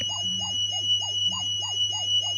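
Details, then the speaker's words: National Panasonic RS-612 cassette deck, circa 1978, before service, playing a 3000 Hz test tone through headphone output: steady tone wobbling in pitch several times a second; very bad wow and flutter and speed problems. "and as you can see it's not and you can hear what we call the wow and flutter so yeah that is what a 3 000 hertz tone sounds like on a tape deck with very bad wow and flutter and speed problems"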